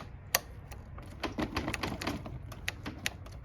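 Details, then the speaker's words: Honda Elite CH150 scooter with no-crank no-start, starter push-button after silicone lubricant: crisp quick clicks snapping back cleanly; switch had been sticky and now returns normally. "Man, it seems better now, though. Yeah, that's like normal. So that was just sticky."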